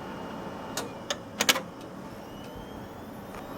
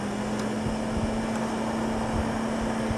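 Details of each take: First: Gateway LP mini tower, 700 MHz Athlon, IBM Deskstar hard drive: a few clicks then steady faint hum with thin high whine holding level; drive spinning evenly and healthy, though the system keeps freezing. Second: Gateway LP Mini Tower with a slot 700 MHz Athlon, case fan refitted while running. A steady low hum with a constant rushing air hiss: a lot of blowback noise from a fan that is not a static-pressure type.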